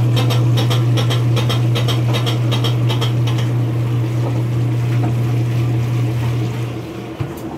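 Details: Maytag washer: motor hum under quick regular clunking, about four a second, only after agitation when going into spin; fades as spin speeds up and stops if spin is stopped and restarted.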